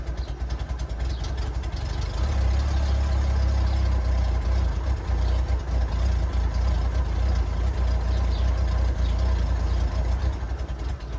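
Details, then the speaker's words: 1994 Honda GL1500 Goldwing Aspencade, first start in two and a half years after aftermarket fuel pump replacement, on choke: holds a steady, even fast idle around 1250 RPM, low smooth rumble, no misses; normal fast idle, some smoke from oil in cylinders. "that is no joke by the way whole joke about 1250 RPM"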